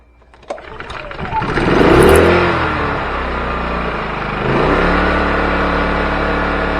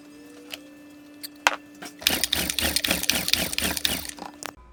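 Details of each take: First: Champion 2000 watt generator after new carburetor, fuel stepper motor, pull rope, fresh gas and oil and unplugged oil sensor: catches, rises to an even, steady hum with no misses or knocks, then winds down cleanly; normal running. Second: Champion 2000 watt quiet-run generator after carburetor replacement and refilling the float bowl: quick ratcheting pulls for two seconds that never catch; later fixed by unplugging the low-oil sensor and fresh gas and oil.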